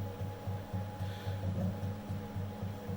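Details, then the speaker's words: Bulkman3D QueenBee CNC Z-axis stepper motor moving down: a low, uneven rhythmic thumping instead of a smooth hum, missing steps. Motors and drivers were swapped, and the noise is from the motor itself, not mechanical; owner suspects Mach3 config or the controller. "you hear that you can't even see that on the on the on the axis that is actually like it's breaking it's not going very smooth down"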